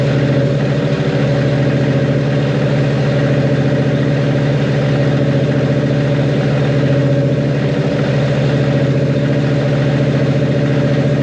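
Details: Freshly built 1.5JZ (bored 2JZ-GE block, 1JZ-GTE VVTi head, Manley internals, Brian Crower 272 cams) running on a startup tune after break-in and oil change: a loud, even idle with a steady low throb and no knocks or ticks; runs smoothly.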